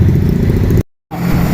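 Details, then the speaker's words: Toyota 4K engine just after a tune-up with valves set to intake 0.08 mm and exhaust 0.10 mm, plus new battery, new filter and cleaned carburetor: an even, steady idle with a soft low throb and no top-end ticking. It is quiet and healthy. "Ayan na mga papa. Grabe, natahimik. Ayan, na-tune up na namin tahimik na ng makina."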